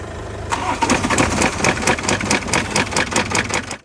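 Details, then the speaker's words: BMW B47 diesel after engine removal and full rebuild for engine noise and cracking complaint: rapid even cranking catches into a steady diesel beat with no knocks or rattles, a clean healthy start. "അങ്ങനെ നമ്മൾ engine remove ചെയ്ത് full reset ചെയ്ത് ഇപ്പോ വണ്ടി fit ചെയ്ത് ഇപ്പോ starting കണ്ടീഷനിലാണ് വണ്ടി"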